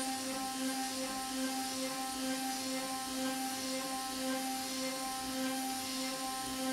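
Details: Avid CNC Benchtop Pro desktop gantry router with a CNCDepot S30C 2.2kW spindle at 15,000 rpm, cutting A36 mild steel at 100 ipm with 0.03 stepover and Fogbuster coolant; even, steady singing tone around 270 Hz with no chatter; healthy spindle, straw-colored chips.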